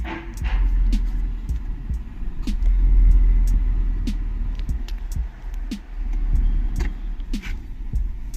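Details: Maruti Suzuki Ertiga factory CNG car after replacing spark plugs and coil to fix misfire: revs rise and fall smoothly with no stumble or popping, clean even pickup; normal revving.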